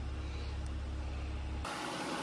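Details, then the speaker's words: 2004 Mercury Sable 3.0 DOHC 24-valve V6, warm after about 10 minutes running following front valve cover gasket replacement: steady low, even idle hum, no ticking or misses; no leaks or smoke, idling smoothly and healthy. "I can feel the heat coming off the engine don't see any leaks don't smell any leaks don't see any smoke uh I think we're good to go uh engine still running fine"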